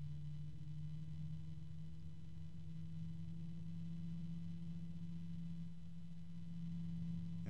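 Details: ASUS ROG Strix XF120 PWM fan ramping toward max RPM: steady low drone with a faint scraping edge, climbing in pitch as speed rises; sounds like something rubbing, cause suspected, not confirmed.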